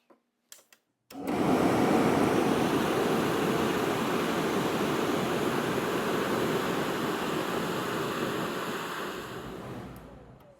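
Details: RV furnace test run right after replacing the circuit board; a couple of clicks, then a steady, even whoosh of blower and burner for nine seconds; everything lights and runs normally.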